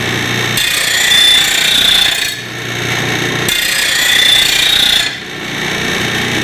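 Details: Rotary mower blade on a bench-top stone blade grinder, stone now rotating upward so the blade isn't pulled in; steady grinding hiss in even passes, varying only with applied pressure, no grabbing or chatter; normal grinding.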